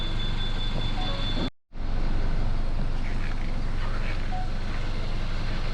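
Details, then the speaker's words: Hyundai i40 wagon, diesel engine, idling with the engine bay open: steady, even diesel clatter with no knocks or roughness. This is normal engine noise, and the battery and alternator look fine. "지금 엔진 소음 들리시죠 정상적인 소음이고요"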